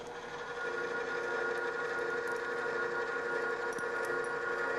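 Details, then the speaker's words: Drill press after the lever is shifted and the transmission engaged, giving a very different drill speed: even, steady mid-pitched whir with no rattling or juddering; the speed change has eliminated the chatter and the drill cuts smoothly. "now when we turn the machine on you can see a very big difference in the speed of the drill and this has eliminated the chatter"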